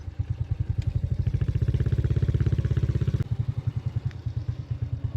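A small motorcycle engine putters evenly and steadily, with no clutch rattle, only a faint, normal valve tick.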